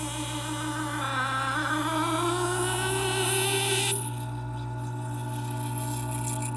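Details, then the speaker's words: Taotronics TT-IC001 nugget ice maker, after about 7 months of use, at the start of a cycle with no ice being made: loud sustained screech over motor hum, rising in pitch, from the auger pushing ice up to the top mushroom head. "And after approximately 7 months, it started to make an extremely high screeching noise."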